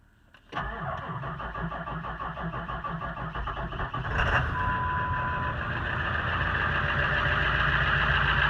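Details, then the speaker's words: 1999 Ford F250 7.3 Powerstroke diesel, 117,000 miles, cold start at about 15–20°F: cranks briefly, catches quickly and settles into a steady, even idle with normal injector clatter; healthy cold start. "as you can hear cold start but she starts up good starts good runs good"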